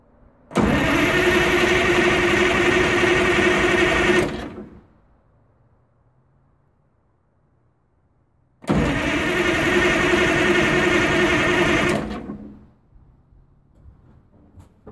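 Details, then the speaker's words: 1980 Michigan Clark 55B loader, Detroit Diesel, newly rewired, after a leaking injector fix and bleeding: two bursts of cranking at about four compression pulses a second with no firing. It turns over but won't start; the battery needs charging. "of course today decides not to start see just making sure the air wasn't shut off again"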